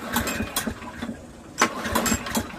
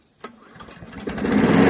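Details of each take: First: Briggs & Stratton 7HP Platinum series lawnmower, gas and spark confirmed, slow weak pull-cord rasps with no catch; low compression (35 PSI) from an unseated exhaust valve, later ground to reach 60 PSI. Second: Briggs & Stratton 7HP Platinum lawnmower engine, after exhaust valve grinding (compression raised from 35 to 60 PSI) and a new carburetor: starts on the first pull and quickly settles into a steady, even, healthy run.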